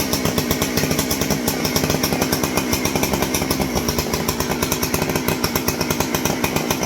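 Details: Stihl 064 chainsaw, just reassembled with the proper exhaust bolt fitted: fast, even two-stroke firing holding steady speed, no popping back or misses. Running properly.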